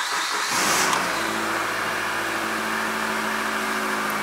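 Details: 2004 Subaru Forester XS, 4EAT automatic, just after replacing a failed transmission solenoid, first start to check fluid and leaks: quick crank, catches within a second, steady even idle with no slipping or clunks; healthy.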